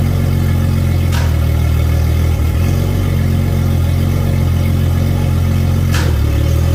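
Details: Center Yamaha 300 outboard on a new 2022 Regal 38 XO, test run after its 20-hour service: deep, smooth, steady idle rumble, no misses, knocks or surging; sounds healthy.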